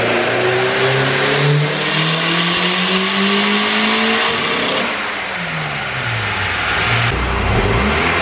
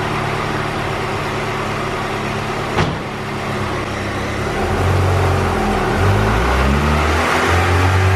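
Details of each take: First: Turbo B18C GSR EK coupe (~50-trim eBay turbo, log manifold, 1000cc injectors) on aftermarket cams, fresh copper plugs. Under load it stutters badly around the VTEC changeover; fuel and ignition changes didn't cure it, so VTEC or oil pressure is suspected. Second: Turbo B18C GSR in an EK coupe (rods, pistons, ~50-trim eBay turbo, log manifold, 1000cc injectors, small intercooler), now on stock GSR cams. Dyno pull at ~6.5 psi to 7,000 rpm climbs cleanly with no stumble. Still rich from the bigger-cam tune, with a slight VTEC dip.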